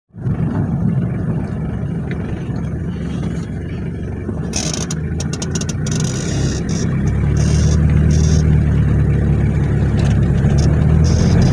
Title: 1995 hilux ln106 3L beautiful diesel clattering sounds during acceleration